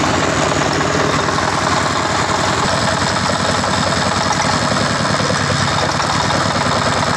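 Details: Tiger 24 (D24) single-cylinder diesel with radiator fan and electric start, copper radiator: steady rapid thump at even idle, no knocks or misses, fan hum behind; normal idle.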